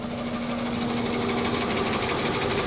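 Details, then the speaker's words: 1993 Plymouth Grand Voyager SE, first run after 18 years parked, still warming before the thermostat opens: steady idle with a light, quick ticking over the engine note; loud tick gone but ticking of unknown origin remains; ticking at idle. "that loud obnoxious tick is gone but we still have that weird Ticky noise somewhere over here"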